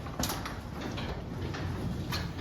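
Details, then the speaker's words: Garage door after spraying the hinges, spring and motor pulley with white lithium grease and wiping the rails: a low, even rumble with only a few light clicks from the track, much quieter than the loud noise before. "so this is much quieter this is how quiet my door is now compared to before uh check this out"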